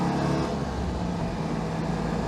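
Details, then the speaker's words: Citroen 2CV on its first drive with a replacement engine, heading to its MOT, vent flap open: deep, even induction roar holding steady pitch with wind noise, no knocks or rattles; much quieter than the old noisy engine, healthy. "yeah lovely I really hadn't realized just how bad that last engine had got it was so noisy"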